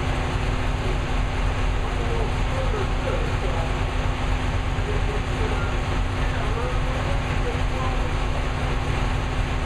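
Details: New V8 with Lunati 60140 solid cam, idling hot after valve lash was reset from about .010 to .014 intake and exhaust per the cam card: steady, even idle with a smooth low rumble, no knocking or loud clatter; valvetrain sounds healthy and settled.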